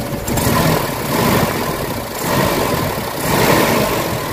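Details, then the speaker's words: Warm Mitsubishi Adventure gasoline engine at idle, hood open, before Xado engine treatment: idle swells and sags roughly every second with an uneven shaky beat, close to stalling; rough idle with throttle delay and low power complaint. "Kita nyo yung nangangatalo. Parang namamatay siya, parang hirap siya sa wait, para ma-address natin yung problema ni sir."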